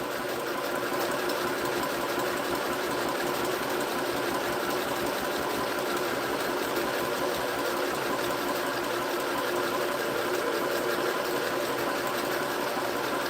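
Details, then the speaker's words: Sewing machine (same model sold at Walmart), runs without the foot pedal when switched on; fast even stitching chatter, steady rhythm, no knocks or grinding; running smoothly. "Now, for some reason, I don't need the foot pedal, because as soon as I turn it on, starts going. Which is kind of handy, actually."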